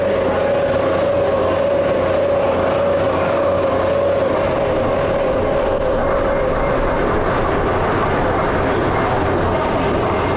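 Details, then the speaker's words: 1904 steam-driven AC generator with DC exciter: as the operator switches on the field and it builds over a few seconds, a steady mid-pitched howl rises over the machinery clatter, then fades as the field is taken down; normal excitation howl. "due to all of these extra steps the AC generator's electric field takes a few seconds to build up once it does it produces an intriguing howling sound"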